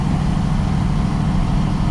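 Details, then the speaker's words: Duramax diesel pickup with suspected blown engine, still running after a backfire: heavy rough running with a coarse low chuffing pulse, sounding like a 6.0; exhaust leak or boost leak suspected, unconfirmed. "But this, you hear that fucking sound? I don't know. It may be an exhaust leak as"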